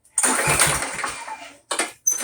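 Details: Briggs & Stratton Quantum Craftsman mower after long storage with old fuel: repeated recoil pulls spin it with a dry whir and it never fires; later traced to suspected clogged carburetor main jet starving fuel.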